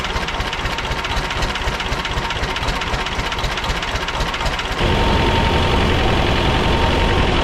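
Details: Belarus 250AS diesel tractor, about 1985, after sitting for years, first-stage filter refilled and lines bled: rough, clattery idle at about four beats a second that never picks up speed; won't rev on its own, fuel starvation suspected.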